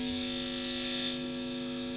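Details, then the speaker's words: Guitar amp hum with hiss, master volume at maximum and amp volume at 2; touching the guitar strings makes the hum drop, showing the guitar ground connection is intact, not a loose ground. "เราก็ถ้าจะจับที่กีตารแล้วเสียงจี่มันเงียบลงมันก็คือเ้ากคอบกาวไม่หลุดนะครับ"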